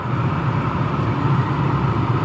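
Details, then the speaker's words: 2002 Dodge Ram 1500 with the 4.7, after replacing the blower motor and blower resistor (the complaint was that the blower only worked on high). On high, a smooth, steady whoosh and even hum with no rattle; normal blower operation. "then High notice how smooth that sounds notice the sound of it that's how it's supposed to sound"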